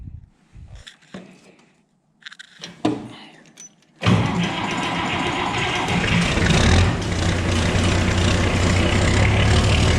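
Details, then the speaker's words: Oliver 1950T tractor with 310 diesel, starter repaired: clean crank with no gear grinding, starter engaging properly, diesel catches at 20 degrees out and settles into steady idle; normal starter cranking and start. "beautiful no grindy grindy just how it's supposed to sound not too bad of a start for 20 degrees out"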